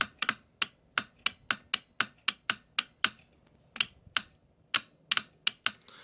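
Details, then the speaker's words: Mercedes E320 throttle body bench test, good reference unit: crisp sharp clicks about three a second with a short gap as the clutch coil snaps in cleanly; the two tested throttle bodies' coils are dead. "that's a good clutch coil this is a bad one"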